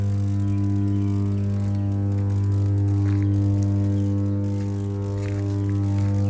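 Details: Power transformer running: a steady, deep, unwavering hum with a buzzy overtone and no crackle or rattle; normal transformer hum.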